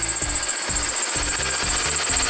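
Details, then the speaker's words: BMW E46 325i 2.5 six-cylinder, idling cold: a steady high chirp with a rhythmic clack about twice a second from the belt pulleys; the owner suspects the idler or tensioner, expects it to get worse warm, and plans to replace both. "So we're going to show you how to replace all your pulleys and tensioner right here for the BMW, because ours is making a clicking noise. You hear it and it's kind of like squeaking from the pulleys."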